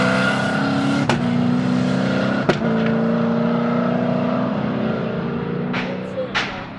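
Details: First-generation (1969) Camaro pulling through the gears: a sharp single bang at each shift, about two in seven seconds, over a steady engine drone; cause unknown.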